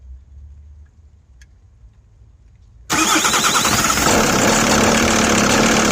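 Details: VW T4 2002, AJT 2.5 TDI 88 hp, 335,000 km, cold start. Intermittent rattle of about three knocks a second over the diesel idle, from the top end or timing belt side (timing parts all replaced). Less above 1000 rpm and fades soon after starting. Cause unknown.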